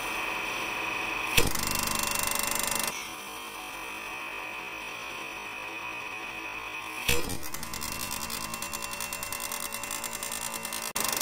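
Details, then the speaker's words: Wood lathe spindle turning with a one-inch (25 mm) skew on the fattest part of the spindle: steady cutting hiss broken by sharp loud bangs as the top edge, unsupported by the tool rest, digs in; skew catch, spindle intact. "the catch happens if you hit the edge the top Edge which is not supported by the tool rest you then get a catch so this is the catch"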